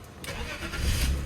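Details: 1966 Mustang project's donor BMW, 101,000 miles, first start: short crank, then catches and settles into a steady, even run without knocks or misses; healthy start.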